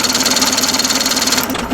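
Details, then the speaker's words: Chrysler Magnapower 55HP outboard on an abandoned boat, cranking in neutral: fast, even cranking at about fifteen beats a second, turning freely but never firing; smells of fuel, no spark suspected, cause not yet found. "What do I need to do? It smells like gas now. It wants to go so bad."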